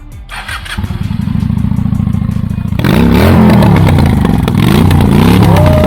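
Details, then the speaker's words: Honda Shadow 750 Spirit V-twin cruiser, custom build, at purchase: catches at once, lumpy even idle, then clean revs with no knocks or rattles; healthy engine start and rev. "Mark's gonna fire it up. Give it a good rev for us. Here we go."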